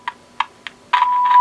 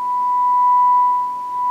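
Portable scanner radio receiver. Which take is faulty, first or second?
first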